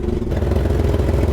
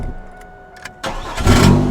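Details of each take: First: 1999 Chevrolet Camaro idling with the fuel pump relay removed, both fuel lines off and the fuel gauge reading zero, yet it keeps running; uneven, lumpy, clattery idle from rough running caused by fuel flooding from the wrong injectors. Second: Chevrolet Camaro after fuel pump relay and PCM troubleshooting: short crank then a quick clean catch into a steady idle with no stumble; starting normally.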